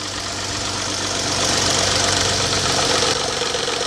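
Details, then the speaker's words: Petrol engine at cold start with the microphone close: fast, fairly regular tapping over a busy, hissy running sound that stops suddenly. Suspected cam phaser knock, typical first thing in the morning, not valvetrain tick. "typically you get that noise first thing in the morning or cold it'll just start tapping"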